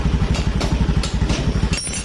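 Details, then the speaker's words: 2018 Honda Beat (digital) with a rough engine, after fixing the cam chain tensioner: a quick, even idle putter with no rattle or chain slap. The sharp taps heard are outside hammering, not the engine. "suaranya lembut lagi toh kalau yang itu tak tadi Palu bukan suara mesin Yanto bisa teman-teman dengarkan suaranya lembut bisa teman-teman bedakan sajalah suaranya sebelum kita perbaiki dan sesudah kita perbaiki"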